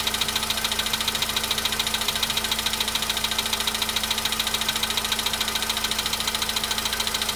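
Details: VW Polo Sedan at 93,000 km, cold-start idle: sharp, even ticking about three and a half times a second; an engine knock whose source is not pinned down yet.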